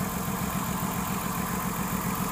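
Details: 2006 Ford Taurus 3.0L at steady idle with a lumpy, uneven low rumble, one beat missing each cycle: cylinder 5 dead (codes P0305, P0316), oil-fouled plug replaced, spark confirmed, power balance shows only cylinder 5 not dropping.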